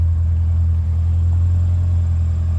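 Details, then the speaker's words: Honda RSX Type S after basic maintenance, idling: steady even low engine hum sounding healthy with no knocks or ticks; throwout bearing noise heard separately with clutch in. "it sounds really good it sounds healthy sounds healthy"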